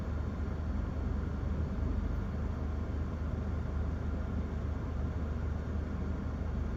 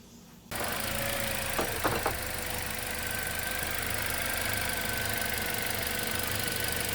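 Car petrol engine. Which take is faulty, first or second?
second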